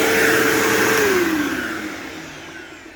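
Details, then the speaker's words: New-old-stock 2007 Bissell PowerForce 3525-2 upright vacuum: steady high motor whine with even air rush, pitch dropping as it winds down; sounds like the owner's 3522, running normally. "Wow. That sounds exactly like it should. It sounds exactly like my 3522. That is amazing."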